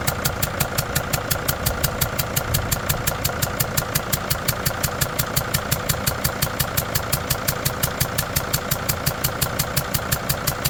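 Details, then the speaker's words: Freightliner van with a five-cylinder diesel at idle, number 4 injector leaking, after tightening the injector down. A sharp, even ticking of about two per second, still leaking but less than before. The old injector seat washer is suspected and needs removing. Injector compression leak. "Nope. It's still leaking, but it's not leaking as bad."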